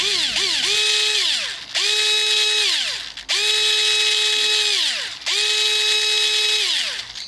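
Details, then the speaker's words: Guarder AKM airsoft version 3 gearbox with new shimming, motor run in four short bursts: smooth whirring spin-up and clean wind-down with no grinding, slightly loud but healthy and still breaking in. "So as you can hear there, you can hear it doesn't have that grinding sound anymore."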